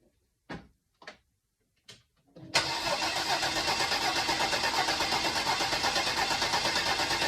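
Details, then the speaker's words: 2015 Porsche Macan, first start after timing chain replacement with BCM programmed: three short cranks, then it catches and settles into an even, steady idle with no knocks or rattles. No check engine light; a small coolant leak was noticed afterward. "Everything seems to be working as designed."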